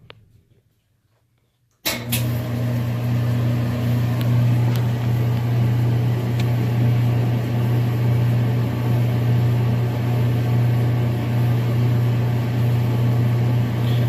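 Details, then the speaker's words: Gas dryer after the thermal cutoff fuse was replaced, restarted with a temperature probe inside: a steady low hum with an even drum rumble and soft tumbling. It sounds healthy as it waits for the burner to kick on, which is then heard. "now we're just waiting for it to kick on, which I just heard."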